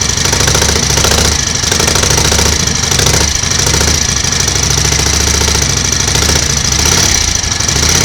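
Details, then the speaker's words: 1938 Matchless Model X 990 cc V-twin idling after first start following several years laid up: loose, lumpy beat ticking over steadily with lots of valve chatter, no knocks; mechanically sound, some oil smoke from the exhaust. "sounds okay mechanically bit of smoke from the exhaust so it's obviously plenty of oil getting in and around the engine"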